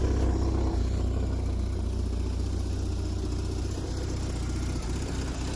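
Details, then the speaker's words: Triumph Spitfire just started cold for first time in 25 years, on choke, after timing correction, carburetor rebuild and new electric fuel pump: low, steady idle, no misses or stumbles, smoky, no starting fluid used. "Took a little bit of love, but it started right up. Nice and smoky."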